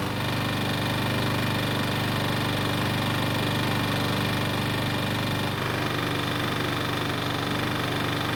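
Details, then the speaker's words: Troy-Bilt mower that sat on a shelf for years, just revived and started: a small single-cylinder engine running steady with a light, regular tapping under the exhaust beat; slight rod knock from the connecting rod big end. "however you already know the bad news and that is it's got a little rod knock but is it really a bad thing"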